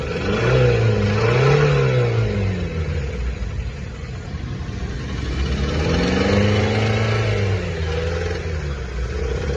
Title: how to check engine bad noise 🛠️❌ #mechanic #shorts